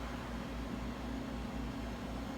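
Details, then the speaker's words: Silver King 5-foot prep cooler after capillary tube replacement, cooling about half an hour with pressures good: steady even low hum, no knocks, rattles or cycling surges; compressor running normally before cutting out at 2.8 °C. "good I'm just gonna wait it out until the cooler our cuts out to be compressor and then we'll go from there"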